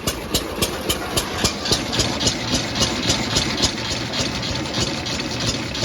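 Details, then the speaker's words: Newly bought classic Rambler car, long off the road, idling: even tick-over with light regular tick about 220 a minute over exhaust beat; sounds pretty healthy. "persuing sounds pretty healthy"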